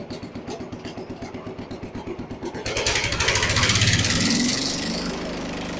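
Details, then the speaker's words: Restored Jacobsen Chief 800, loose high idle adjustment screw just tightened: slow even putting, then a smooth climb to a steady high idle; runs cleanly, owner happy. "There's high idle. I think I'm pretty happy with that."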